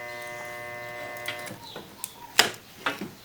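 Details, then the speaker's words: Consul/Brastemp washing machine motor bench-tested on mains via capacitor; steady electrical hum with no run-up, motor won't start; new capacitors didn't help, replacing the motor fixed it; failed windings. "tá ouvindo o barulho motor não parte motor está ruim me a mão ele vai coloco fica só esse barulho e não"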